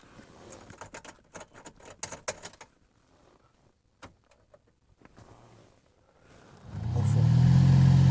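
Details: Chevrolet Silverado cabin blower, heard after a repair attempt, starts after clicks and handling noise with a loud, steady low hum that persists; the hum comes from debris in the blower motor's squirrel-cage fan wheel, located under the dash.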